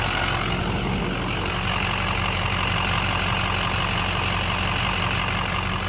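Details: Truck at 247,030 miles after warranty repair, test drive: steady even idle with smooth low rumble, no knocks, ticks or misses; normal idle.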